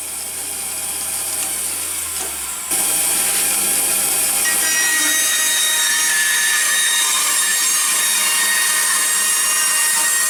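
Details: Craftsman band saw with broken table, after realigning blade tracking: motor runs up, then steady bright hiss as blade cuts wood, no knocking, slapping or grinding; cutting normally.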